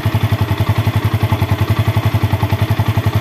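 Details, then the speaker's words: Old Yamaha Vixion, engine very hot after a test ride, after replacing the water pump seal, bearing and impeller; even regular idle thump about four beats a second with no whistle: normal idle. "Kalian bisa mendengarkan di hasil setelah kita ganti seal water pump, bearing, dan kipasnya tersebut ya."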